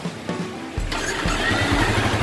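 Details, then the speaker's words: Old Yamaha Vixion that suddenly died on the road, after cleaning the ignition key switch socket: brief crank, then the single catches cleanly and idles evenly without misfire; fault was the ignition switch socket, charging checks 14 V. "hidup normal ini berarti yang masalah tadi ya soketnya itu kunci Kontaknya nggak papa"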